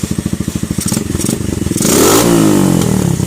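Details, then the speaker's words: Keeway CR152 single-cylinder motorcycle, stock untouched jet with bullet pipe: steady thumping idle, then sharp cracks and pops from the pipe as throttle opens; constant backfiring. "So hindi pa nagalaw yung jet, tapos naka bullet pipe. So ang nangyayari, parating nagba-backfire."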